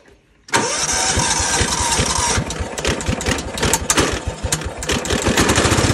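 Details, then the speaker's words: Cub Cadet HDS 2135 riding mower, Kohler engine, built about 1998–99, after relay replaced and deck serviced: cranks briefly, catches within half a second, settles to an even, quiet idle; runs pretty quietly and idles nicely. "All in all, it's pretty sweet. The Kohler engine runs pretty quietly. It idles nicely."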